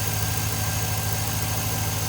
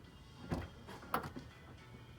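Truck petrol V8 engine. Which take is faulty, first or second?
second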